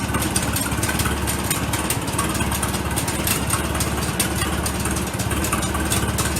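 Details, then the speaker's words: Warm Farmall tractor (ran last weekend, about 32°C ambient) idles with a steady, even low putter and no misses, knocks or hunting; the owner rules out flooding and suspects the fuel air screw may need turning out a little more. "But once it's started, you can see and hear how it idles 100%."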